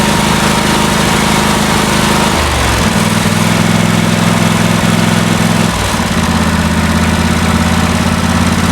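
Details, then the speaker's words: John Deere LT166 riding mower after carburetor cleaning, timing fix and service, just started: small engine idles with an even, steady beat and no rise-and-fall surging, showing the surging is fixed. "Oh yeah, much better. Hear that? No more surging. Yay, we fixed it."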